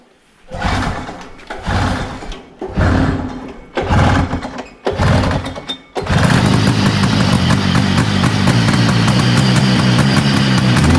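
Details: 1970 Herter's Husky snowmobile, 440 Sachs twin two-stroke, after plugs cleaned: choppy pull-start bursts then ragged, uneven run, one cylinder seemingly dropping out; misfire, weak intermittent spark on one side suspected, points, condenser or coil.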